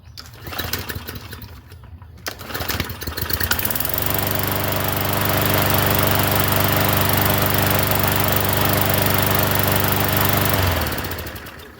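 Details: Free Craftsman M100 push mower with 140cc Briggs engine, just washed: after a few pulls it catches and holds a smooth steady drone about seven seconds before shutting off; runs healthy.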